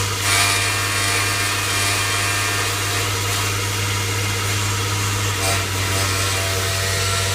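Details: 2005 Honda Odyssey on jack stands, in gear and power-braked: steady low buzz, only when in gear, from the catalytic converter vibrating; it stopped after clamps were tightened around both ends.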